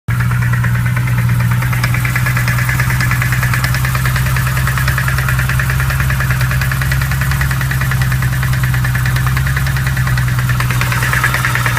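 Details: BMW M3 E92 V8 at idle: steady low rumble with a fast, even knock coming from the engine.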